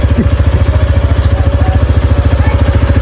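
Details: Honda Click motorcycle?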